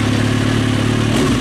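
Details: 2003 Kawasaki ZX6R inline-four, warm idle after resetting the timing chain tensioner and refilling coolant: smooth even beat with no rattle or chain slap; fan kicks on correctly, small reservoir coolant leak, no smoke.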